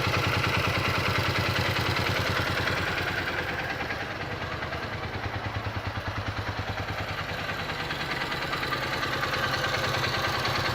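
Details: Honda XR 150 L motorcycle: single cylinder idling at roughly three firings a second with a light clatter on each beat; engine noise at idle, source unclear.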